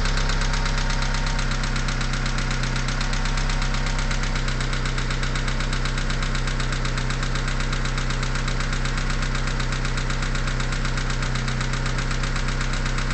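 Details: Mitsubishi 4G63T turbo petrol engine, 143k miles, cold start after 8–10 hours sitting, idling: sharp, even ticking knock about four per second, gone when warm after about a minute; owner suspects lifters or piston slap, unconfirmed.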